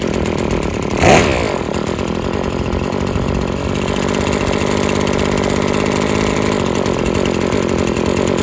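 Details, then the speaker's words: Husqvarna string trimmer after freeing a sticking trigger and carburetor adjustment (it kept cutting off), now idling well: steady high-pitched two-stroke scream at even revs, line whistling, no surging or bogging; normal high rpm. "All right, so you could hear how those RPMs are way up there now. You can hear that string whistling now."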